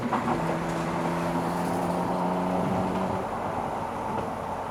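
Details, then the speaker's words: 1995 Mitsubishi 3000GT VR-4 Spyder, 13,000 miles, accelerating in fourth gear toward 60 mph on the highway; engine pulls steadily with a rising tone that levels off under load, no flutter or misfire; turbo boost sounds healthy, turbo does what it's supposed to. "Let's go to 60 if slips. [Music] Turbo does what it's supposed to do."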